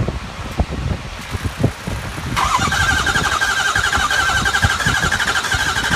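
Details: 2003 Ford 6.0L diesel with replaced high-pressure oil pump, IPR and FICM checked OK: quiet ticking, then the starter whirs steadily for several seconds with no firing. Crank, no start.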